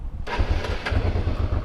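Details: Honda Africa Twin motorcycle after tightening a loose battery terminal that caused no-start: engine catches within a quarter second and settles to an even, steady low thumping idle; starts normally.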